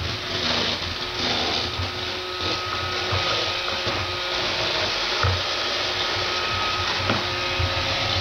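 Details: Roomba 560 on hardwood floors, quiet on carpet: constant whirring motor and brush noise with irregular knocks and rattles about every two seconds; rattle on hard floor.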